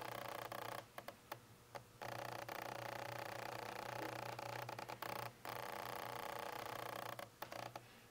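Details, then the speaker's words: Nikon Z6 using an F-mount lens on the FTZ adapter, likely recorded on the camera's internal microphones: short buzzing autofocus-motor whirrs in bursts. The internal mics picked up this lens noise the most, and the Rode VideoMicro the second most. "it seemed pretty obvious to me at least that the microphones in the camera itself picked up the noise from the f-mount lenses is the most and the rode videomicro picked them up the second most"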